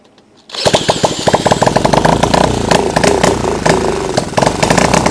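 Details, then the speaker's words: Honda CL90 single after the idle screw was swapped for a different-size one so the slide now responds: catches after a brief pause and keeps running with quick, slightly uneven popping beats, holding idle on its own. "Yes! It runs enough for what we're doing right now."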